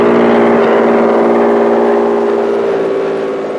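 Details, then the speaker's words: Toyota 2GR-FE V6 bench-fired on the shop floor for an MR2 swap, on a Sienna ECU with immobilizer removed, not yet tuned: catches and settles into a steady, even hum, no stumbling or knocking; runs fine. "well there's the answer I got rid of the immobilizer on the Siena ECU I just need to make it tune for it now"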